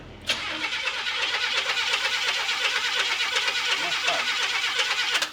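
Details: Chevrolet pickup converted from carburetor to FuelTech FT450 injection, with a spark plug pulled out to check timing: the starter churns steadily at about three beats a second for five seconds and the engine never fires because the injectors are unplugged.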